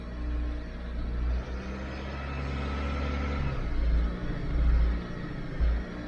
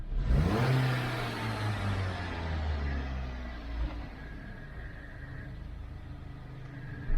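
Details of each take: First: 2012 Dodge Avenger in limp mode, check engine and lightning bolt lights on, idle problems on and off: revs swell briefly and flatten out, locked out near 2,000 rpm; faulty throttle body to be replaced. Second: 2012 Dodge Avenger after throttle body service, previously in limp mode under 2,000 rpm with check engine and lightning-bolt lights: engine revs smoothly on throttle and settles back without hesitation, stumble or surging; engine light still on before clearing codes.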